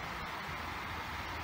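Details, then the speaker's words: Old 16-inch Sharp electric fan after replacing faulty capacitor (20 baht), previously spinning very slowly: smooth steady whir with no rattle or labouring, spinning up faster and stronger than before on speeds 2 and 3. "โอ้นี่มาแล้วครับก็รู้สึกว่าจะไวกว่าเดิมครับจะแรงกว่าเดิมครับ"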